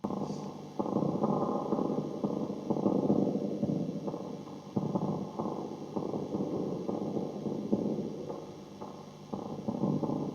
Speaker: Now that sounds like it's somebody's moving the reverb tank, but that tank is up on the wall isolated. That's normally a faulty reverb driver valve itself that causes that.